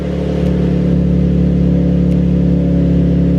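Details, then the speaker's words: Nissan 350Z/G35 V6 idling cold in a small garage just after camshaft position sensor replacement: steady, even hum with no knocks, ticks or misses; runs smooth and sounds healthy. "car is cold, but I mean everything's looking good, honestly."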